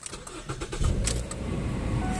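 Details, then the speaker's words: 2008 Ford Fusion bought at auction, transmission hiccup reported, temporary non-low-profile battery fitted: short crank, catches right away and settles into a quiet, even idle; normal engine start. "oh yeah starts right up"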